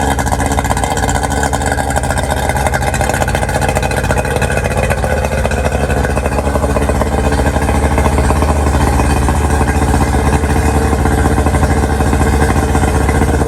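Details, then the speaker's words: Outboard motor on a 1999 DuraCraft 1648 bass boat, sat at least six years, after clearing dirt dauber nests under the cowl: settles into a steady, even drone with no sputter; running smoothly, water test still pending. "all right we got that sorted out I do believe of course we need to test it on the water to be sure"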